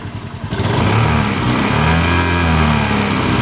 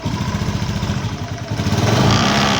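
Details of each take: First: Honda Beat FI (ESP) scooter with a "nger-nger" noise on the right side, caused by loose covers; after tightening, it has an even idle with only a faint vibration buzz and no cover rattle. Normal idle. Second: Honda Beat FI (ESP) scooter at idle: a buzzy, chattering rattle from the right side, pulsing with the engine. A worn mounting boss on the air-fan cover lets the cover vibrate. Repair involved grinding the boss.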